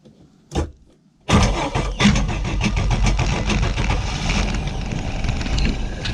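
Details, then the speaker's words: 1995 Mercruiser 4.3L Vortec, Thunderbolt IV ignition, Alpha 1 Gen 2, fuel-fed from a can, owner trying choke: short crank, pause, then long uneven chugging crank that half-fires but won't settle to idle; hard starting. "let me see if I can choke it a little bit here"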